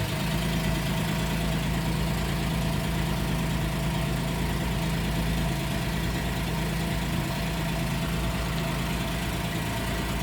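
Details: 2010 Porsche 911 Carrera S (997.2), 6-speed manual, 59,000 miles, rear-quarter collision damage: a steady, even flat-six burble right after the start, no knocks or misses. Normal idle.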